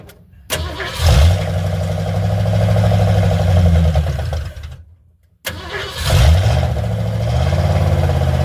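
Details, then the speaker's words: Carbureted car, loud because it has only a Y-pipe and no exhaust: two starts, each a fast lumpy idle that dips and then dies. It runs about 2 seconds then quits unless the idle is turned way up, and the choke-side idle mixture screw does nothing; owner blames the carburetor and plans a Holley. "See, that's the problem with this carburetor. It'll start and run for, you know, what, 2 seconds, real fine, but then it quits."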